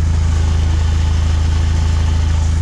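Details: Stage 2 VW Golf Mk7 R idling with AC on, slightly raised idle, loud deep buzzing drone from the rear silencer whose internal baffles have broken loose; recorded before the exhaust rattle fix.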